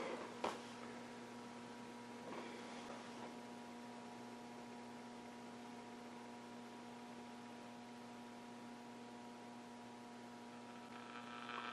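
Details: Restored Philco 90 valve radio, all capacitors and resistors replaced, speaker updated, powered up and checked for crackle: steady low hum with a few faint tones above it and one or two early crackles while warming up. Normal mains hum.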